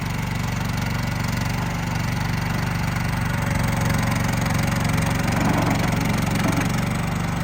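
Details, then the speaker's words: 2024 RODA RD380L mini skid steer loader, brand new, unused, 13.5 hp gasoline engine, high track. Steady, even low drone with no knocks, misses or surging over several seconds; runs very smooth and healthy. "A little high track. Very smooth."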